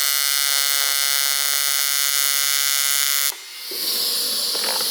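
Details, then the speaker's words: ARCCAPTAIN 200P AC/DC TIG welder on AC at 140 Hz, balance 20%, 100 amps, set like the welder's Miller: crisp, even high buzz, steady without sputter or wander; stable normal AC TIG arc. "All right, that's pretty much exactly where I like it and kind of how I would have it on my miller. Nothing wrong with that at all."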